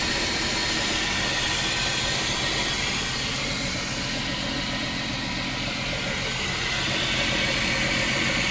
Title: Chrysler 300M 3.5L knocking noise